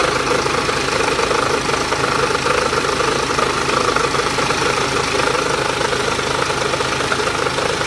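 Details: BMW X1 23d, N47S D20 diesel, strange running at low rpm: idling with uneven, gritty knock riding over the clatter; cause unknown, owner asks what it could be.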